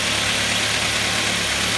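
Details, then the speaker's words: Ford Mondeo Mk3 idling after the noisy air conditioning compressor was replaced and everything reassembled: a steady, even idle with a smooth low hum and no whine left. "lovely i cannot hear no wines now can you hear any whining andy"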